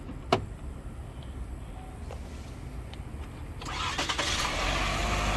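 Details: Chevy Equinox showing 11 volts, jump-started with a Noco Boost Pro GB150 jump box: a few quiet seconds, then the engine catches and settles into a rising, steady run; clean start, no stumbling.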